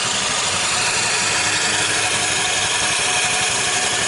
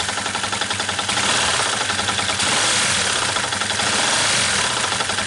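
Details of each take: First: Motorcycle after bearing replacement at a general workshop: even, steady idle with no knocks or rattles from the bottom end; normal idle. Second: Yamaha New Vixion whose clutch, replaced in August 2019, is already loose: steady rapid knocking about four per second at idle, persisting with the clutch removed, so traced to a worn crankshaft bearing rather than the clutch; engine teardown needed to confirm.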